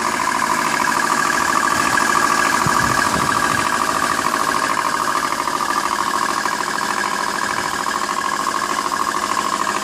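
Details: 2003 Subaru Baja 2.5 EJ25 boxer, 123k miles, 5-speed, cold start: very loud steady metallic rod knock at idle, about three a second, from the right front of the engine; metal shavings in the oil; it fades about 80% after 3-4 minutes warm-up.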